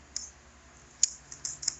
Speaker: All I'm getting now is that's clicking and that's trying. That one never moved.